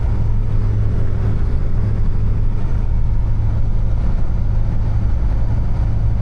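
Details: Niva test drive on the highway after gearbox repair (some gears replaced, 2.5 L 80-90 oil added) at 92,351 km: steady road drone and even engine hum, no whine, grinding or clunks; gearbox quiet and healthy.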